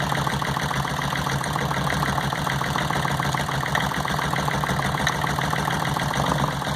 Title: Cylinder no 1 misfire